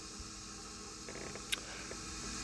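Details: 2002 Mustang GT with Trick Flow upper and BBK cold air intake won't idle on its own and runs rough. A steady airy hiss comes from a vacuum hose that engine flex keeps working loose. The fix is a hose clamp.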